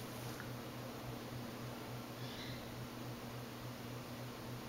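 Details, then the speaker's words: 1980s Four Seasons Venair 36-inch spinner ceiling fan, converted to ball-socket mounting, on new 3-speed control at medium: steady low hum with faint pulsing throb over quiet motor whir, carried through an off-centre, poorly installed electrical box; no wobble. "it still hums quite a lot and you know how notice how the um the electrical box was installed so goes from the the wall here it should have been Centum like here it's definitely not my installation"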